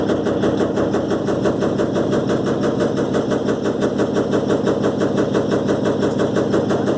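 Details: Electrolux LTE12 washing machine during a suspension test: a fast, steady rattle repeats evenly through the whole spin with no letup, pointing to loose or worn drum suspension.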